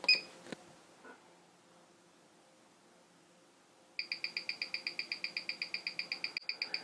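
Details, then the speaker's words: Aesop tourbillon watch on timegrapher, face up: crisp quick even high-beat ticks about eight per second, beat error about 0.1 ms, losing about 7 seconds a day; running cleanly. "and as you can hear this is a higher Beat Movement we are now you look there .1 millisecond our beat a is ridiculously small and our we're losing 7 Seconds a day"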